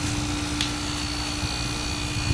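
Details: Window-type aircon after fan motor bearing replacement and cleaning (fan had been noisy, then stopped); compressor runs with a steady, even hum and smooth airflow, no scraping or knocking.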